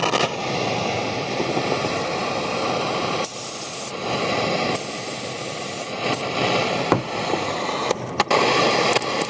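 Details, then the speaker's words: RCA Victor European-made AM/FM/shortwave portable transistor radio, rusty and moldy: steady hiss and crackling static with irregular bursts and dropouts; noisy germanium preamp transistor causing hiss. "Okay, so have a listen to this and have a look at the current draw here. This is bad germanium transistors."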